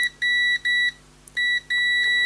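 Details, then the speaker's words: PS3 Slim with no power, corroded board, after replacing suspected chip; repeated solid half-second continuity beeps each probe touch: supply rail still shorted to ground, maybe main chip. "Okay, unfortunately, after all that hard work, it's still shorting. Look. Oh, I can't believe it. I thought that was going to fix it."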